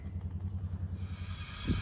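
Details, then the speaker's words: 2011 Mercedes S350 Airmatic front passenger-side corner collapsed while driving: low rumble then sudden sharp steady hiss of escaping air as the car is lifted; air suspension leaking, shock top ruled out. "Wow. Hear it leaking? See the air coming out?"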